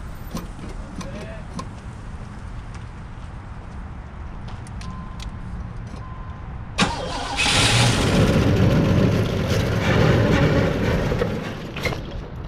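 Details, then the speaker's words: 1988 Chevrolet Caprice Classic Wagon, first start after sitting untouched 2006–2021, fresh battery, fuel poured into the carburetor: silence, then a sudden rough roar running unevenly about five seconds and fading, backfiring twice through the carburetor; engine not locked up. "oh well it fired it does run it blows everywhere it didn't blow the belts off of it it's not locked up but it didn't run very long it backfired twice through the uh carburettor over here"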